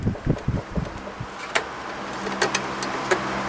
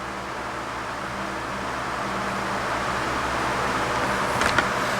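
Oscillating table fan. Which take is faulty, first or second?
first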